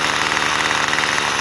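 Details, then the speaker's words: Troy Bilt two-stroke weed eater after carb fix for bogging (mixture screw half a turn counterclockwise); idle screw turned clockwise raises revs: buzzy note sits steadily above normal idle; high idle from idle screw turned up. "If you need to adjust the idle, this screw right here. If I turn it clockwise, you hear the motor revving up."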